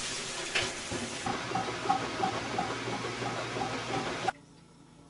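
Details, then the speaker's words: Whirlpool washing machine with a not-draining complaint, start of cycle: even rushing hiss of water filling with light regular ticking, cutting off cleanly; normal fill. "The washer starts filling properly, and you let it go through the cycle."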